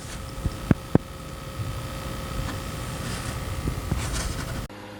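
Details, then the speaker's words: PlayStation 5 disc edition after fan noise fix, mic beside the console during a game: just a faint, steady hum with a thin whistle-like tone and light controller clicks; fan running quiet and healthy. "starting a race and not a single sound from the ps5 it's a lot quieter than it was before big win all you hear is the clicking of the buttons on the controller"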